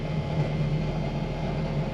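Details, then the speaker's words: Fox-body Mustang with a carbureted Holley and no choke, cold start with mixture screws set slightly rich for winter: low, slow, even V8 burble at about 500 rpm with no stumbles or misses, steam visible. Normal cold idle. "she idles she's idling I'm not sure if you guys can hear that she's probably idling 500 RPMs"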